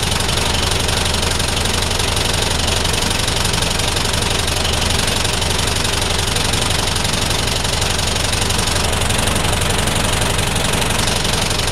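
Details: DAF SB220 East Lancs Mylennium bus, stationary with a bad diesel idle: a hard, regular knock about twice a second, clear above the running noise. Cause undetermined.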